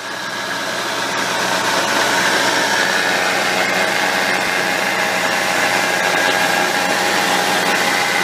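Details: 2006 Subaru Impreza WRX STi Spec C (GDB), EJ207 engine, 6-speed manual, 55,599 km: faint steady whine over rough engine noise from a worn bearing in the transmission extension (rear) case.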